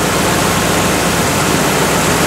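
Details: Carbureted V8 with a distributor, idling warm during base and ignition timing setup with a timing light: loud even low rumble with a steady beat and no misses or knocks; the timing mark lines up correctly.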